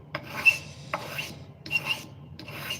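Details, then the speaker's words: Knife blade being sharpened: four rasping sharpening strokes, two with a brief high squeak where the stroke catches the rolled edge burr being worked out. "There's that squeaking. That's when we're hitting that spot we want to pull out."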